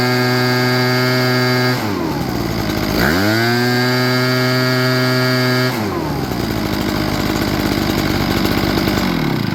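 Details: Echo PB8010T two-stroke backpack blower after carburetor replacement due to ethanol fuel damage: holds a steady idle, revs up and drops back cleanly without stumbling or surging; normal running.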